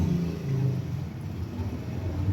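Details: Toyota Innova on a road test after its dirty rear drum brakes were cleaned and adjusted, handbrake included, to cure a whistle on braking. Only a low, even road rumble while slowing, with no whistle or squeal; the owner confirms the noise is gone. Quiet brakes.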